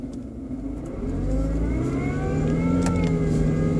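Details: BMW 120i E87 revving up: a thin motor-like whine rises with engine speed above the engine note. An oil change did not help, and the owner suspects it comes from behind the air cleaner box. Cause unconfirmed.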